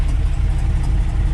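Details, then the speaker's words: 1962 Ford F-350 after carburetor float and needle-seat troubles were fixed, running a near-straight pipe with a muffler shoved on: an even, low burble at idle that is no longer screamy, healthy as it should sound. "this is how it's supposed to sound you know not nearly as screamy just nice little burble"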